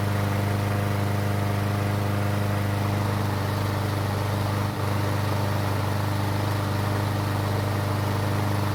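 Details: Troy-Bilt mower that wouldn't start after winter, running after the fix on its original gasoline. Even, steady single-cylinder putter at constant speed with no misses or surging: runs cleanly.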